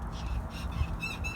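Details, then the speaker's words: Car's rear rocked by hand: creaky, high squeaks like a rocking bed over dull thumps, from worn rear shock absorbers and their upper mount bushings. "hear the squeaking is sounds like a rocking bed it's actually the shopping Cougars on this thing and it actually mounts that I'm going to the top of and they're called up shock absorber mounts or bushings those are often bad as well"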